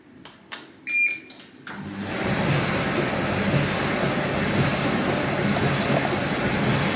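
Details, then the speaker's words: Bosch tumble dryer after reconnecting the control board to fix error E90: a few short panel beeps, then a steady, even drum-and-fan rush with no alarm, the error gone and the dryer running normally. "Come potete vedere l'errore 90 non esce più, il problema è risolto."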